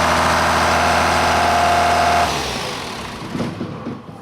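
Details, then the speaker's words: John Deere 7410 tractor diesel, after fitting a new muffler: steady even idle clatter with no exhaust puffing or leaks, then a clean shutdown; sounds healthy. "It sounds good. Everything is on and good."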